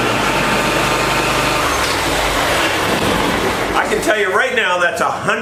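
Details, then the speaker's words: Small single-cylinder engine, fuel problem fixed, fuel pump on; previously died instantly when blades engaged and when hot. Keeps running steadily after blades engage, no stumble or stall, pulling the load; normal running under load. "better than it was 100% if because when you would turn the blades on in the past it would instantly kill the engine I think it's working"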